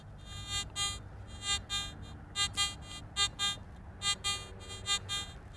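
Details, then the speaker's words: Garrett AT Gold metal detector in true all-metal mode, ground balance at 0: repeated high buzzy bursts as the coil passes over a small trench, a false signal from the abruptly changing coil-to-soil distance, not a buried target. "Notice that response. This anomaly is created due to the suddenly changing distance of the coil to the soil."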